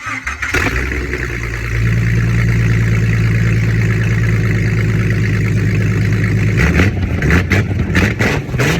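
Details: Jeep with swapped engine, first runs after sitting seven years, new starter and battery connectors, radiator being installed; starter cranks briefly, engine catches and settles into a steady low rumble before stopping: starts and runs properly.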